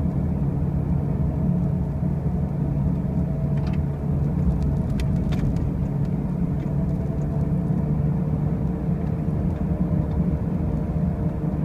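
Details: 2005 Pontiac Grand Prix with brand new wheel bearings and new tires: a constant heavy low-pitched drone at road speed, even and unbroken; a loud noise while driving, cause not pinned down.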